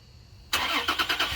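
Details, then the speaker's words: Toyota Tacoma started by remote start: quiet, then a brief crank, and the engine catches at once and settles into a steady idle; normal start. "it works so remote start still does work so that is a uh a good thing"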